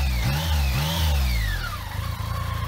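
Under the revving triple a thin whistle rises and falls with engine speed, the typical sound of these engines rather than a fault.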